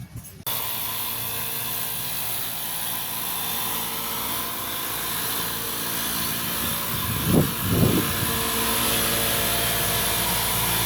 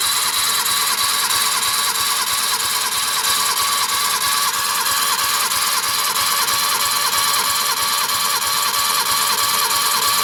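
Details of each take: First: Suzuki DF51V turbo kei minivan compression test before valve adjustment: cylinder 1 reached 75 psi but leaked down, cylinder 2 25, cylinder 3 50 versus about 120 expected; starter spins fast and evenly, about two beats a second, little chug; low compression from unsealed valves. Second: Suzuki DF51V turbo kei minivan, cylinder 1 compression test after valve adjustment (earlier 75 psi): steady cranking about three beats a second with even pulse each stroke; reached almost 100 psi, compression healthy.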